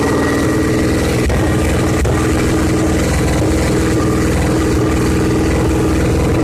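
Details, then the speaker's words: Victory V-twin motorcycle after an engine swap, first run with a new high-mount exhaust fitted without mufflers. Loud, lumpy, steady V-twin beat with no knocks or misses; the engine runs healthy. "at least it's the point where the bike can be run and it'll be probably pretty loud"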